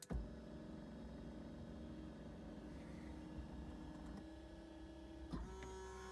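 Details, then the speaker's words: Ferrari F355 Spider lowering roof, engine off: steady electric motor hum with small pitch steps as the seats move forward to a safe position, then the roof comes down; smooth, normal operation. "so next when I move the switch you should see the seats move forward into a safe position"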